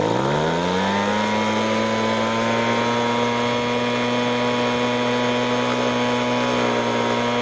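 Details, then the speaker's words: Ryobi RBV26G 26 cc two-stroke leaf blower, carburettor ultrasonically cleaned, spark gap 0.8 mm: at full throttle the buzzing pitch climbs while the high-speed mixture screw is adjusted, then settles into a clean steady scream once the mixture is right. "So that is about as good as that will ever get. So you could hear the change in tone as it's trying to adjust the mixture."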